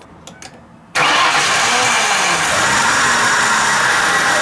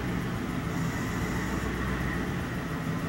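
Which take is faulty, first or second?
second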